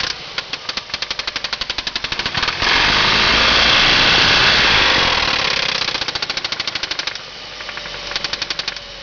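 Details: 2003 Ford Focus 2.3L at idle: a sharp, steady knock about four per second that fades under a rev and returns as it settles, confirmed as a spun rod bearing. Rod knock.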